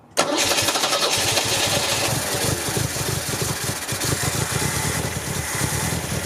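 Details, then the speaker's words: 1974 MGB with a rebuilt engine, just after reinstalling the distributor: fires up quickly, then a slow lumpy idle around 500 rpm; it revs somewhat but struggles with more gas; low rough idle. "as you can see right now i have it idling it's i mean it's very low it's at like 500 but i'll show you that i can actually rev it up somewhat"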